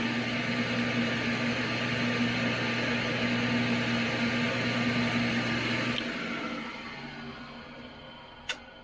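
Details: Restored circa-1959-60 Craftsman 100 table saw powered up: steady motor hum with an even whine, no knocks or rubbing, then a smooth coast-down after switch-off; runs healthy.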